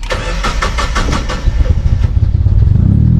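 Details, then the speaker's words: Boosted Mazda Miata with no idle air control valve, held on the throttle for the first 15 seconds after starting: a rapid puffing tick rides over the exhaust note, suggesting a possible exhaust leak, not confirmed. "it sounds like there's an exhaust leak man"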